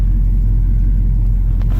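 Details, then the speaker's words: 1969 Dodge Charger 500 Daytona with its original L-code 440, fully warm at idle on a cold day: a deep, steady, even rumble with no knocks, 55 psi oil pressure and charging; sounds healthy. "Now we're finally getting up to temperature here, sitting at idle, that's nice."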